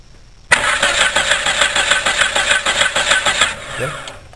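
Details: Car that cranks but won't start: the starter spins the engine fast and evenly but it never catches.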